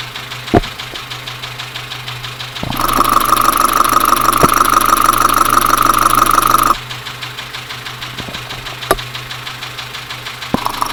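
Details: Dacia Sandero at idle heard through a mechanic's stethoscope to trace the noise: sharp, steady knock about three times a second, a clear internal engine knock from a damaged engine.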